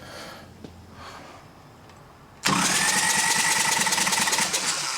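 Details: Freshened-up Harley Evo Sportster 1200 chopper motor cranked a few more times, oil filter off to purge lines and confirm oil pressure: even starter-driven turning about four beats a second, no firing or grinding; free healthy crank, oil flowing.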